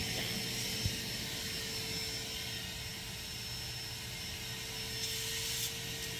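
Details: Dewalt wet/dry vac running through a Coxreels vacuum hose reel, with a new Fernco 2-inch 90-degree flexible elbow at the reel inlet: steady airy roar with an even high hum, no whistling or sputter at the hose; normal running.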